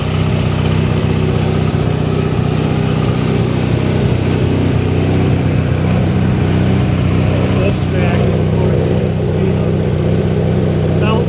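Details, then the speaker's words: 1983 Sears Craftsman GTV/16 Varidrive garden tractor, opposed-twin 16 hp Briggs & Stratton, after replacing noisy idler pulleys and drive belts (rough flat-belt pulley suspected): steady, even engine drone, no squeal, slap or chirp; drive now quiet. "so when it's running you gotta have the this pulley a sixteenth into the variator belt and there's an adjustment for that but all quiet now"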